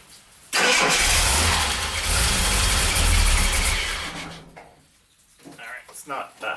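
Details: 1975 Jaguar XJ6 six after head rebuild by machine shop, cold start on half choke: fires and runs with uneven, hunting note before dropping away; later runs nicely at about 40 psi oil pressure.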